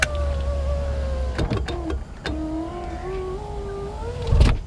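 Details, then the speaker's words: 2019 Proton Iriz after two years of ownership, parked outdoors daily: the power window still works but is very loud, with a strained motor whine that sags and climbs as the glass travels and a judder at the end. "number one is the power window it still works of course but it is very very loud listen to this"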